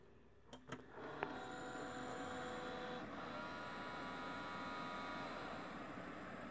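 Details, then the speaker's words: Desktop PC that beeped and wouldn't boot after being bumped, one memory stick removed: a few clicks and short tones, then quiet steady fan hum with no beep codes; Windows boots normally, memory contacts suspected. "okay okay so i got something on the screen it it doesn't do any beep anymore so there it is okay the windows stall right up"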